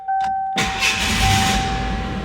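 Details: 1987 Ford Ranger with no A/C, started after a jumper fix in place of the compressor relay: steady chime, engine catches quickly and settles to an even idle with the compressor engaged; normal start and idle with A/C on.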